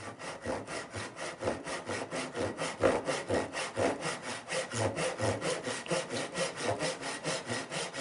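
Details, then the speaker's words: Irwin tenon saw before sharpening: rough dragging rasping strokes about two per second, skipping at the start, slow cut from dull teeth. "And you can probably see the speed that it cut at. It's just it's very slow."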